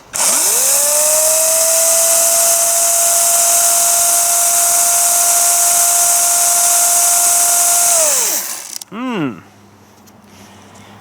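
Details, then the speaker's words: 60V battery chainsaw running unloaded to test the oiler; steady high whine spinning up, holding, winding down; no oil line flung from the bar tip, chain appears dry, owner suspects oiler not pumping, unconfirmed. "it's gonna start to come on the chain and it's gonna fling off the end and leave us like a little line here so let's just see here it's not though"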